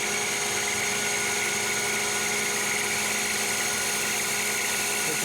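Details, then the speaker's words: Lathe facing hardened and tempered 4140 chrome-moly steel at high spindle speed, 0.025 depth of cut; steady high hiss with fixed singing tones, no chatter, blue turnings, better finish than annealed; clean lathe cut. "sounded like it was cutting better we were getting turning rather than chips yeah the Finish is definitely better here"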